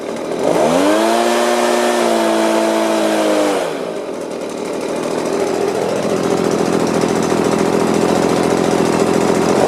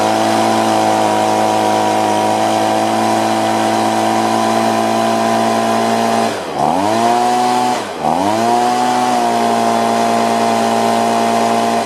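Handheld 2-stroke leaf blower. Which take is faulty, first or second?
first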